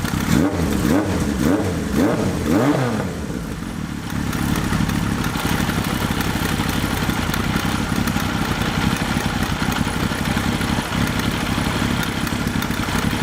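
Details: Suzuki GS1100E after upgrade to Mikuni RS34 carburetors with new boots, started with no choke: several quick throttle blips, revs rising and falling cleanly, then a steady, even idle; healthy running.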